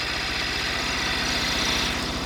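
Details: Cub Cadet 1100 single-cylinder, standard-bore engine with a few gaskets recently replaced, burning no oil or smoke: even low thumping at idle with a steady rhythm and no rod knock. It sounds healthy, with just some loose-panel rattle.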